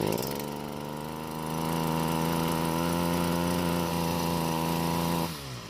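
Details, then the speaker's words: 6-year-old Stihl two-stroke trimmer on ethanol-free gasoline and good two-stroke oil, started and revved: buzzy note held high, slightly uneven, then cut off; runs rough, cause unknown. "This Stihl trimmer is 6 years old. It uses ethanol-free gasoline and a good quality two-stroke oil, but it doesn't run like it should."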